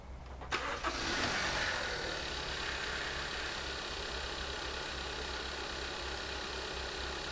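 Short crank, the engine catches with a quick flare, then settles into an even idle; starts and idles, cause of earlier trouble unknown.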